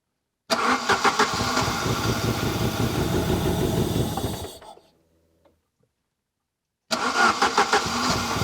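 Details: Saab 900 Turbo Commander, Bosch K-Jetronic, sat 10+ years, fuel metered by hand: catches and runs lumpy for seconds with uneven pulses, dies and is restarted; won't idle on its own.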